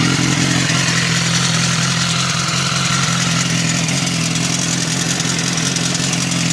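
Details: BMW S1000RR at idle: busy, uneven, fast metallic clatter over the engine note, abnormal top-end noise, butterfly valve suspected but not confirmed; engine clatter.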